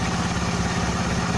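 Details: Honda Beat carburettor scooter, after reassembly and a starter test: steady, even idle with quick regular pulses, no grinding or friction from the starter gear; starter fault traced only to the starter motor (dynamo), healthy idle.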